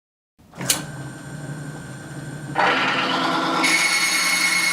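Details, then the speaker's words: Timken bearing test rig, race saturated with Hoppe's No. 9 firearm lubricant under equal weight; spins up, then harsh high screech climbs louder with smoke; lubricant failed within 4 seconds, bearing damaged by friction and heat. "note the loud screeching and smoke that immediately appears at this point the lubricant is failed that's it it's failed"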